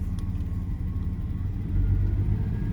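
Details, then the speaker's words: Daimler (Jaguar) XJ40 that loses power and stalls going uphill; owner suspects it is running lean, injectors getting noisier, fuel pump not heard. Low, juddering idle with uneven lope and occasional stumbles; misfire and rough idle, possibly fuel starvation. "Okay, and now it's missing there a little bit. The way it's running right now, this is exactly how it felt when I was going up the hill. It was juddery and sort of shaky."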